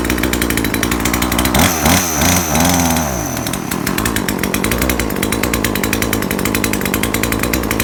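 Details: Chainsaw after repair of a no-rev fault caused by too much fuel, with the mixture needle readjusted and the saw reassembled: several quick blips climb cleanly to a steady high buzz with no bogging. Healthy, normal revving.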